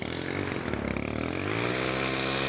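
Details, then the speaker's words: STIHL FC 90 edger brought in for a recoil problem and general service, first start after replacing the primer bulb: the small engine catches into a high buzzing run with an uneven, shaky edge, rough running with heavy vibration and smoke burning off. Cause not confirmed. "Uh, how about that? How about that? Even as rough and as dirty as this thing looks. Look at that. Oh, we got smoke. It's smoking."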